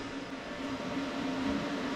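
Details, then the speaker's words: Oil burner blower motor with wheel reinstalled and set screw tightened, spun by hand after gap-setting tool removed; soft steady whir, faint even hum, no scraping or metal rubbing; blower wheel spinning freely. "nice and free next step is going to be to reinstall this back on the burner"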